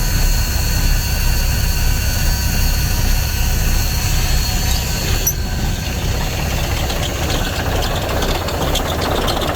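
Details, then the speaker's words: Diesel engine: it fires right up and settles into a deep, steady, even idle with no knocking. "the thing starts so good it can sit for months and months and months and you go crank it over and it fires right off"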